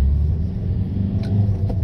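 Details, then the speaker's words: 2006 Volkswagen Jetta TDI at speed after wheel bearing replacement: steady low road rumble with engine faintly audible, slight brake pad contact noise, no growl, healthy bearing. "notice the lack of growl that's what it's supposed to sound like okay so this is what it's supposed to sound like uh when your wheel bearings are good"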